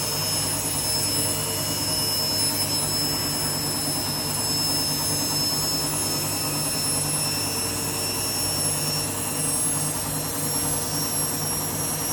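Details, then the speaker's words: Washing machine on an empty rinse cycle, final spin: loud, steady jet-like roar with a high whine through the fast spin, indicating worn drum bearings. "hear that the bearings are going."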